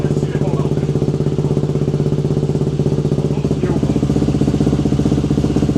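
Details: KTM two-stroke enduro bike, previously unstarted for about a year, after carb cleaning, air filter sorting and throttle cable adjustment at the carb. Fast, crisp, even popping at about four beats a second with no misses or bogging; starts well and runs healthy.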